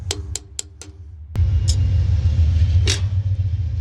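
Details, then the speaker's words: Boat trailer hub, driver's side, being replaced with a disc brake kit; water found under the seal. Four taps, then a coarse, gravelly rumble as the hub spins by hand: water-damaged wheel bearing worn and about to fail. "The bearing sounds like it's about to go out. Shouldn't sound like"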